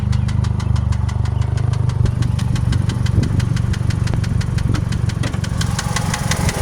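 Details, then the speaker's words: 2001 Pontiac Grand Am 2.4 LD9 idling: fast, fairly even knock from the engine, still present after rebuilding bottom end (crank and rod bearings, oil pump, timing chain guides, lifters); not lifter or rod bearing, owner suspects wrist pin, unconfirmed. "So for this unit here, has a rod knock. It still has that rod knock."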